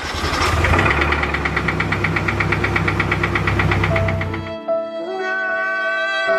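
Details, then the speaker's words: Nissan 240SX S14 listed with 170,000 miles, first start after 2 years, bought as only needing a starter: rough running with a heavy, uneven knock about three per second, then music; rod knock. "So, if you guys seen in that last clip, the car has raw knock."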